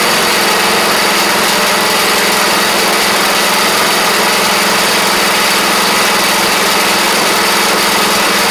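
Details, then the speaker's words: Troy-Bilt Pony rider with replacement engine and new head gasket, fresh gas, cranked up: steady single-cylinder drone, even buzzing note at constant speed, no misses or knocks, smoky at start; normal running. "But she's a runner. The belts even work pretty good for the drive"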